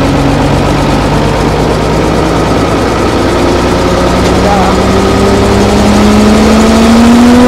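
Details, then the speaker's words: Old Fiat-Allis bulldozer, roughly D6/D7 size, six-cylinder diesel, probably not turbocharged, sat in the Australian bush for years; started at full throttle with one of six injector lines cracked; catches and settles into a steady run, revs climbing; normal running. "start well how's that she's actually running how good is that after all these years of sitting"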